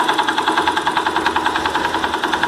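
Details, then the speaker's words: Idling engine with a sharp rattle about eight times a second on every firing pulse, louder on the starter side, gone at high revs; starter one-way clutch rattle. "vocês agora aqui ó o barulho é mais caracteriza esse lado não pode ser que a embreagem o direcional que fica no conjunto da partida"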